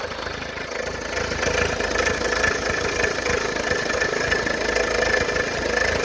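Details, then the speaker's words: Fiat Palio at idle: loud fast uneven chatter and thin whirring tick, like knocking from the bottom end, disappearing when revved; traced to overtight timing belt. "um barulho parecendo que tá batendo parte de baixo alguma coisa desse tipo tá e quando se acelera o barulho some tá e na marcha lenta fica esse barulho horrível"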